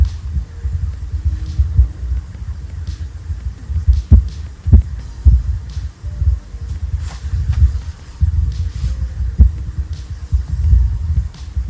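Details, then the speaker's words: Definitive Technology 8080ST tower's built-in amp, still faulty after Definitive's legacy amplifier repair: irregular deep thumps and pops over a low throbbing hum; the subwoofer amp is faulty. "because when I received the amp from Definitive, it didn't fix the problem. It was still popping and making noise."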